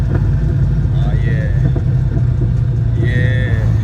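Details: 1967 Plymouth Valiant, carbureted (no EFI): after realigning the carburetor gasket, refitting the air cleaner, tuning the idle mixture screws and adjusting fuel pressure, a deep, even engine note with no stumbles or misses; runs smooth and steady.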